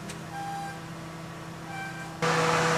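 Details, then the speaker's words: Radiator fan's steady whir kicks in abruptly with ignition key on and engine not yet running, then check engine light on at start; faulty coolant temperature sensor (ECT/WTS) commanding the fan. "Hah fan nya bekerja padahal mesinbelum hidup pada posisi on fan sudah bekerja ini kondisi yang terjadi"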